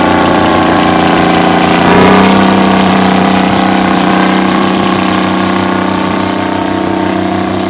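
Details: 60-year-old Massey Ferguson 98 tractor with Detroit Diesel GM 3-71 two-stroke after restoration: even steady drone with constant beat, no knocks or misses; smooth and healthy.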